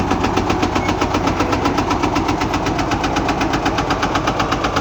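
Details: Truck engine idling while unloading: a sharp, regular knock about four per second that stays steady throughout, indicating engine knock.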